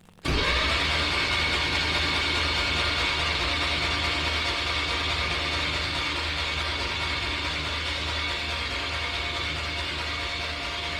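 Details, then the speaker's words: MGB with swapped-in Camaro V6, ignition wires and coils disconnected, turnover to build oil pressure: starter engages abruptly, spins engine at steady even rate with no firing; normal, good oil pressure. "this is just going to turn the engine over and we want to see the oil pressure come up"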